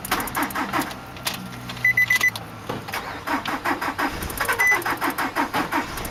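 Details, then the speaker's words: 2003 Nissan Altima 2.5 S with blown engine, sitting 8 months, jump-started; quick, steady cranking with no catch or firing, not enough compression; flywheel reportedly bad too; cranks but no start, low compression. "UNFORTUNATELY, THIS ONE JUST WON'T FIRE. IT DOESN'T HAVE enough compression to engage."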